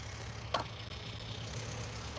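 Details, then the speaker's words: Small gear motor (gearbox) after regreasing and reassembly with the screws not yet in: steady hum with no regular clicking apart from one brief tap; still a little noisy, possibly a cracked gear. "yeah no more clicking noise so that being said we are going to put these screws back in and see if it still does it"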